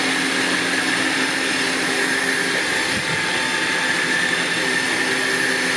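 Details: Badland 12,000 lb trailer-mounted winch with a wireless receiver, replacing a faulty 9,000 lb unit. A constant high-pitched motor whine with a steady gear hum, and no stalling, grinding or slipping; it pulls cleanly under load.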